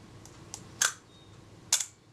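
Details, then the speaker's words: Kodak Retina Reflex type 025, first model, whose shutter release has been faulty since an exposure meter repair. Fired at a slow speed: two separate sharp clicks about a second apart. The release trips in two stages, freeing the shutter after the capping plate. "yeah there's a problem there i could hear that was very much a two-stage shutter and that would be releasing the shutter after it had released the capping plate"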